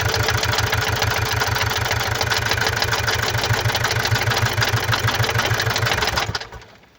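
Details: 2017 Mazda CX-5 (GH) 2.2 diesel, SHY4 engine, 110 kW/150 PS, 152,302 km, idling with a quick, uneven ticking clatter about three beats a second, caused by faulty injectors and a faulty mass airflow sensor.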